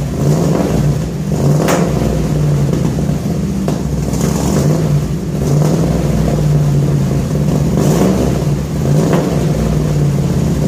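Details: 1966 Ford F100 shop truck, first start: deep, even burble with regular blips every couple of seconds, clean pulses, no ticks or leaks; exhaust sounds good, normal exhaust note.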